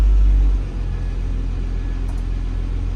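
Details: Boat engine (Marine Trader) at the dock warming up just after start: steady low rumble settling into an even idle, no knocks or misses; everything working, healthy.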